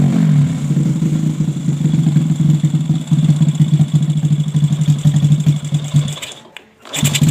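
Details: Jupiter Z with bored-up engine and PE 26 carburetor, after widening the carb hole: single-cylinder pulses rise and fall cleanly with each throttle blip, no stumbling; it previously stuttered as if short of fuel, and fuelling is now correct.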